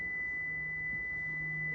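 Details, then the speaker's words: Prevost bus (Marathon conversion) brake warning buzzer: steady high single-pitch buzz while brake pedal is held during air pressure check (bottom gauge fluctuating). "step and hold the brake pedal down [Music] and that's your alarm thing going off"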